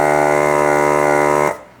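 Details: Pioneer SX-780 receiver with a phono stage fault after servicing: one channel diminishes while the other spikes harsh, possibly thermal; harsh steady low buzz in the amp output before capacitors are replaced. Cause suspected, not confirmed.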